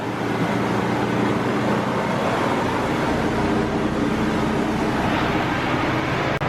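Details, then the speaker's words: About 30-year-old C1500 V8 pickup, just after fuel tank replacement and hotwiring the fuel pump, first longer run: even, smooth V8 rumble with a steady low drone, no misses, knocks or ticks; sounds better than the day before. "It actually sounded better than it did yesterday. I'm sure that has something to do with everything working better."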